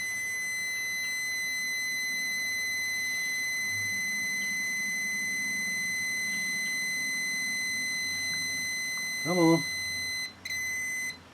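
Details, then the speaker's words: 1974 Honda TL125, setting points timing with a continuity beeper: steady high beep holds while the points are closed, then cuts out as the plate is turned and the points just open at the firing line; timing should be right on. "so let me lock that down and I know they open because I lost continuity and so the points just opened"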